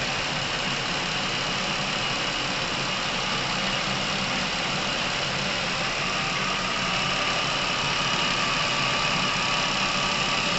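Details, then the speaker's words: Chevrolet Epica, over 200,000 km, with a sudden top-end noise, after Dimexide engine flush was added to the oil: steady, even idle with a soft hiss and no tapping or knocking. Oil circulating properly; the engine is quieter. "масло начало циркулировать должным образом двигатель начал работать тише"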